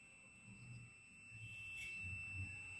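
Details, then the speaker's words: Used Honda Vario 125/150 ECU tested with the multimeter probes reversed, red on negative: the continuity beep stays on and never cuts out, unlike a good unit, which beeps briefly then stops. Internally shorted ECU, blamed for blowing the 25A fuse, beyond use. "Nah, ini bunyi terus tidak mati-mati."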